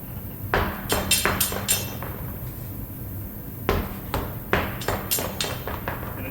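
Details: 2017 Honda Pilot wheel removed and spun off the ground: irregular sharp clacks and thuds as it turns; something loose inside the tire, suspected broken-free tire pressure sensor rolling and hitting the aluminum rim.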